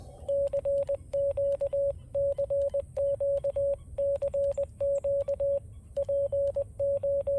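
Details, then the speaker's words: FX-4CR transceiver sending CW: keyed tone near 600 Hz with crackly clicks at each keying edge; scratchy audio artifacts occur only while transmitting CW, not while receiving or moving the radio, so a loose connection is ruled out; cause unknown. "that is the issue of audio artifacts it just sounds like a scratchy speaker that's not what it is because I only get that when I'm transmitting CW not when I'm ever receiving or moving the radio around or anything"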